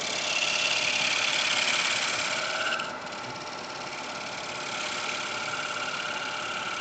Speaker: you can hear the vibration. It's hard to work without. It's very thin.